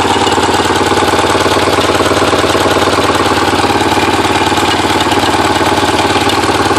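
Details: Porsche 944 started after over ten years sitting; timing belt tensioner pulley fell off in 2005, bending all exhaust valves. Uneven, lumpy idle with a stumbling pulse about three times a second, a dead-sounding cylinder: misfire from bent valves.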